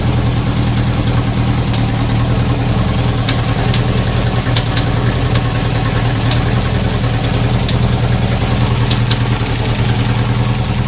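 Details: Chevy 350 V8 race car at a loud, rough idle: sharp metallic bangs at uneven intervals, faint at first and getting worse. Suspected bullet or foreign object in a combustion chamber slamming around; the engine likely has to come apart.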